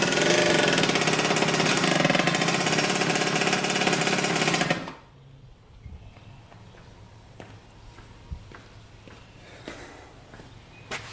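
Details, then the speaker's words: 1986 Yamaha YSR 50 two-stroke, bump-started after the carburetor was refitted and primed with premix: crisp, even high-pitched buzz holding steady about five seconds, then cut off; runs great, normal running. "Runs pretty dang good. Hopefully you guys saw that. It runs great actually."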